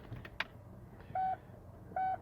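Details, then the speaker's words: Nearly flat Kia battery reading about 6.7 V before a Noco Genius Boost Pro jump start: quiet, thin, short beeps about once a second, barely sounding, the chime starved by the low battery. "think it till it's barely beeping"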